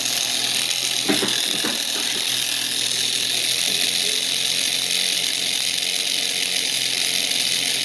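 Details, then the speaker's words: Tiny motor kit rated for 1.5 V, driven at 32 V and about 1.8–2 A: a shrill, raspy, high-pitched whine with gritty chatter. The motor is overheating and a burning smell is present. "Oh, I can smell it now. Jesus. Ooh, this thing's making heat."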